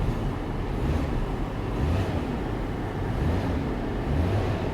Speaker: This one's bad, but it runs great, guys. It is so smooth. Give it a little gas.